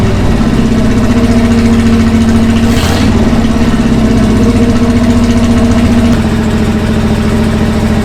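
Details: 1966 Ford Galaxie 390 big-block V8 just started after sitting 35 years, no gearbox: loud lumpy idle with an uneven, wandering beat; rough idle.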